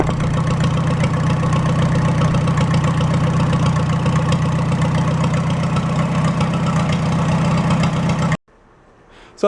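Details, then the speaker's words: Farmall A tractor, freshly installed engine, cold start and warm-up with no coolant or radiator: steady, even idle with a smooth low beat around four pulses a second and no knocks or misses; the engine runs clean. "so I'm going to let that run for about 5 minutes or so it's got no Cooling in it right now no radiator I'll let it warm up"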